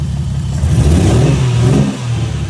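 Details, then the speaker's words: Toyota Soarer temporarily wired with 1ZZ coil-on-plug packs: engine revving unevenly with a lumpy, stumbling low rumble that sags and recovers; misfire, owner suspects a faulty coil pack. "if i remove number one it shuts off and you can hear the spark so i think this is causing me a misfire"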